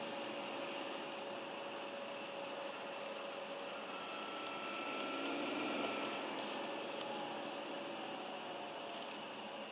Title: Bmw 346 330d making whistling sound